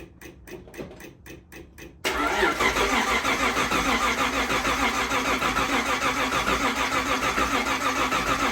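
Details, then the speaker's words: First startup after rebuilding Solex Mikuni Type R carburetors, battery charged first after weird cranking: about two seconds of rhythmic cranking, then engine catches and settles into steady, even idle with no misses; normal start and idle. "It was being really weird, and I had to let it charge for a while, and then it like fired right up, and I totally missed it."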